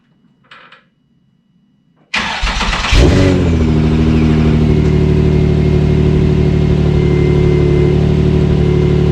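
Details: Nissan 350Z started after repairing a bad exhaust leak and replacing an O2 sensor that was cut in half. The starter catches, there is one quick blip, then a deep, even idle with no ticking or puffing. The exhaust is sealed and the engine runs clean.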